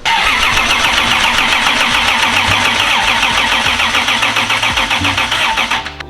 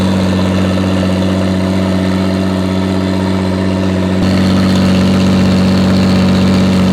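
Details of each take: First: 2JZ-swapped FRS mystery project on first start attempts: fast uneven cranking with deep, dull pops coughing back through the intake; electrical ignition timing well off, checking with timing light. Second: 2JZ-swapped FRS mystery project after sitting for a long time, stuck injectors freed, loud up-pipe masking engine noise: steady even idle under raspy exhaust drone, no bottom-end knock; engine sounds happy.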